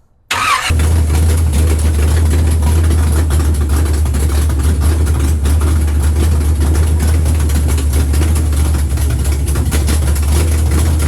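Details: 1976 Chevy Nova drag car that sat for years, V8 after a water neck repair: cranks briefly, then a deep, steady, even idle with no knocks or misses. Reached 190 with no fan; the carb needs cleaning; normal idle.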